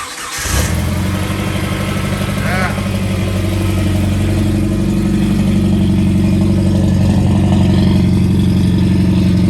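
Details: Jeep Wrangler after new oil pressure switch and distributor clocked to number one (previous snapped mount, shattered distributor, bad alternator): cranks briefly, catches at once, steady even idle with no knocks or misses; healthy start.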